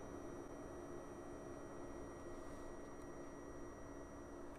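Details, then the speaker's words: WEMAX Nova 4K UST laser projector, about a week old: a thin, constant high-pitched electrical coil whine above the fan hiss, starting when the laser initializes and lasting the whole time it is on. "for the past two days i noticed the high pitch noise coming from the projector which is very annoying and very destructive so i will show you what the noise sounds like"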